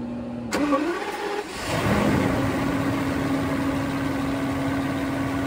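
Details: Mercedes-Benz W140 M120 V12 test start right after replacing the air filters; quick crank, short flare of revs, then a smooth, even idle with no misses, ticks or whistles; healthy engine running normally.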